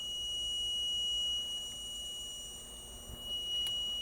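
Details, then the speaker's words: Dell G15 5530 gaming laptop, about a year old, dead after a RAM upgrade: steady high-pitched beeping tone from the voltage injection tool feeding a low-resistance shorted rail, and the CPU heats up. "I hear it beeping, but I'm not seeing anything getting hot."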